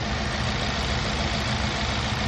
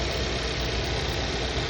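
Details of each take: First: Four-cylinder engine with a misfire code on cylinder 3. Uneven, shaky idle with an irregular low stumble about three times a second, making the engine vibrate: rough idle from a misfire. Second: Car idling after a misfire diagnosis: steady even low hum, no stumble or shake; live data shows no misfires, earlier rough vibration gone.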